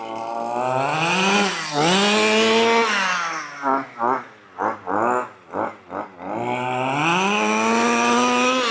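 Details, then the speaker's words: 1/5-scale petrol RC car engine being carb-tuned. Revs rise cleanly, but at low throttle it stumbles in uneven blubbering bursts and feels sluggish. The low-speed mixture is too rich and needs leaning. "You can hear now though, it's too rich on the low. You can definitely hear it's too rich on the low now. And it's gone quite sluggish as well."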